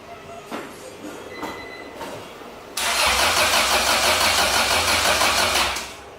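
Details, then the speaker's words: Acura Integra crank-no-start lasting a week: starter spins the engine steadily about three turns a second for three seconds, never fires; no spark despite rechecked wiring, ECU suspected. "this is been going on for a week but I didn't have spark and been racking my brains and trying to find that course"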